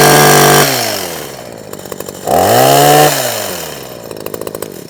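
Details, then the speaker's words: Husqvarna 123HD60 hedge trimmer two-stroke after new carburetor diaphragm and carburetor clean, started on half choke: revs up cleanly twice and settles to steady even idle without stumbling; now running fine. "Turn it on, bit of choke, which is that way. Half choke. That's already starting better already."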